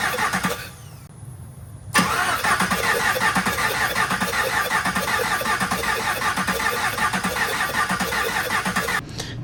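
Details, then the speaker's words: 2021 Camaro SS V8 during a heads-and-cam build, cranking with a lopsided beat: some cylinders push back while others spin free. There is no compression on several cylinders because the pushrods are too long. "როგორც გესმით, ძრავს რამოდენიმე ცილინდრზე კომპრესია არ აქვს, რაც იმის მანიშნებელია, რომ შტანგა ნამდვილად გრძელი გამოდგა."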